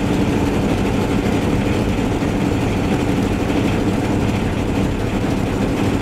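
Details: Van test-driven before repair: steady droning engine with a coarse, raspy exhaust note and a flat hum underneath. Later traced to a bad exhaust donut gasket, both mufflers rusted out and a rusted tailpipe section; exhaust leak.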